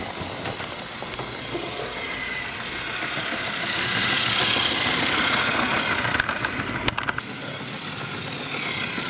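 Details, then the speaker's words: Hornby diesel model locomotive, gears repositioned, hauling coaches at a sensible speed: a steady buzzing motor that swells and fades as it passes, smooth with no stutter. It is louder and more diesel-like than when first acquired. "I think you'll agree that if you've had one of these, you'll know they are fairly quiet, and it didn't sound like this when I first got it."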